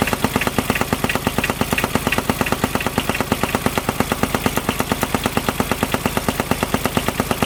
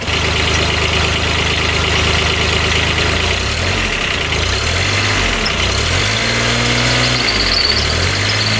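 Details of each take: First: Kubota RTV900 diesel UTV (2007/2009), auction buy with earlier coolant/white smoke issue, suddenly knocking while trail riding: loud, fast, very even knock over the diesel note; owner fears rod knock, finds the fan wobbly, cause unconfirmed. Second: 2009 Kubota RTV900 diesel UTV, restarted after repair for white smoke and coolant in radiator: steady diesel clatter at idle then several smooth blips rising and falling with no miss or knock; revs out okay, one cylinder still uncertain.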